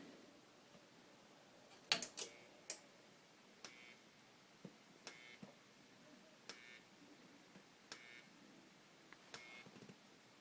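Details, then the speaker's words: Whelen HDS14 strobe power supply after repair, running at 28 volts: sharp irregular clicks about one per second with a faint high whine from the flash bulb; charging and firing normally. "Okay, so it's working at 28 volts."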